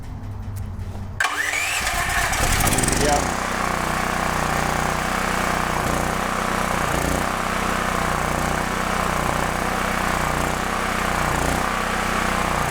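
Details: DuroMax XP13000HXT tri-fuel generator after fuel and micro switch repair, running on gasoline; cranks and catches in about a second, then steady, even drone with no misses or knocks. Normal running.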